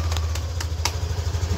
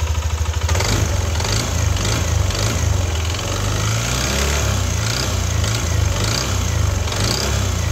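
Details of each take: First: Yamaha NMAX V2 scooter engine idling with steady low hum, no knocking, after repair of engine knock/ticking noise by replacing cylinder block, piston, piston rings, valve seals and crankshaft. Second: Yamaha NMAX V2 scooter starts and idles with a loud, hard knocking rattle deep in the engine, a knock rather than rough bearing sound; engine to be opened.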